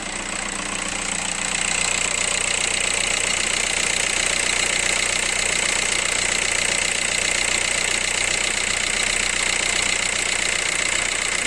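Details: Skoda Octavia A5 1.9 TDI PD 77 kW at idle, owner complains of noise near the accessory belt: thin high whine and hiss; timing belt and alternator tensioner were new, and a roller or bearing is suspected.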